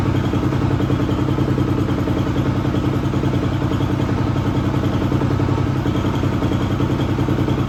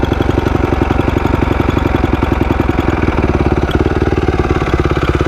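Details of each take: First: 2004 250R single-cylinder four-stroke dirt bike, bought non-running, now started: steady even thumping about three a second with light clatter; motor sounds healthy, an unidentified clanking not from the motor. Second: 2004 250R dirt bike after valve work: steady, even single-cylinder idle that sits quick and busy, and the owner thinks the idle is set too high; it smokes a little, possibly needs a top-end rebuild, and has a small oil leak and little power.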